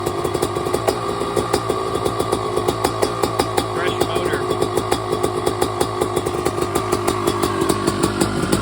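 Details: YZ250 two-stroke on its first start after a frame-off rebuild with a new top end, carb rebuild and new Pro Circuit exhaust: a crisp, even crackle with a steady firing rhythm that picks up cleanly when revved; it runs strong.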